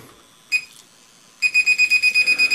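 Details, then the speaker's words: SJRC F11 foldable brushless drone: one short high beep, a pause, then a rapid string of about a dozen sharp beeps; its normal but annoying warning tone. "okay so it's got a really annoying beep I think really is annoying"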